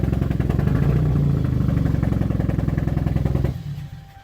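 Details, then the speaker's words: Car idling with the muffler removed, possibly a 1992 Corolla, kept running only by holding heavy throttle as it floods: a loud, raw, uneven, lumpy putter that sags and dies; rough idle, cause unknown. "He took the muffler off. But it shouldn't sound like that."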